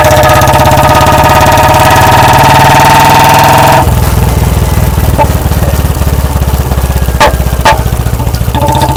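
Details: Royal Enfield Bullet 350 BS4, warmed up with a ride first, off-throttle on the road: single-cylinder thump with sharp exhaust cracks, deliberate deceleration backfire pops from carburetor setting.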